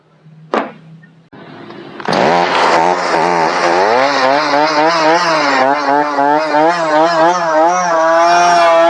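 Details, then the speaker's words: Brand-new two-stroke chainsaw, before cleaning and switching to Cerma products; after a pull start the revs sag and surge unevenly instead of holding clean, bogging down quite a bit under load. "as you can hear it didn't do real good bogged down quite a bit actually"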